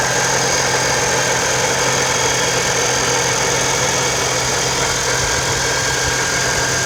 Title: 4.0L TRD Supercharger Noise at Idle (at operating temperature)